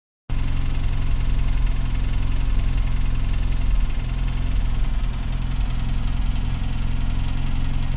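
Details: UZAM engine with revving: a low, rough idle with an uneven knock of about three to four beats a second. Engine knock of unclear source.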